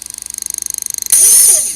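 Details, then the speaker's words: Hobbywing XR10 Pro ESC driving a sensored brushless RC motor, ESC fan audible: rapid even pulsing about eighteen per second then a sudden hissing whir; intermittent stutter, worse with a little load; motor swap pointed to the faulty speed controller. "It's like hit or miss. But yeah, it does it all. Just depends how it is. If it's got a little bit of load on there, it's going to actually make it even worse."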